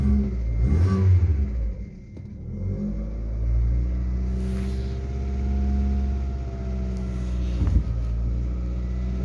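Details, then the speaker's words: Lada Largus 1.6 16-valve 129 engine, after hydraulic lifters were replaced, about 3 minutes after a cold start and revved up to clear the knock: a deep steady drone, loud from a torn exhaust flex pipe, with no clear knock; nearly gone when warm. "Примерно прошло 3 минуты. Все тише, тише. Это еще двигатель громко работает из-за того, что гофра порванная."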